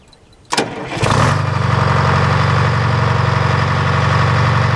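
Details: Detroit diesel started after three days of rain; brief crank, then catches and settles into a steady, even low thrumming idle with a firm regular beat, running healthy.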